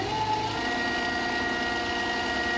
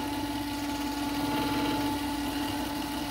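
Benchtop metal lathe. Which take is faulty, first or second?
second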